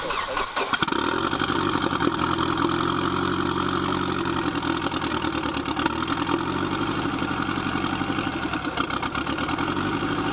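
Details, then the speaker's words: Boosted KA engine after the ignition timing was adjusted toward advanced: the starter cranks briefly, then the engine catches and settles into a steady, even idle with no misfire or skips. Normal idle. "That sounded a lot better and it's not misfiring on idle."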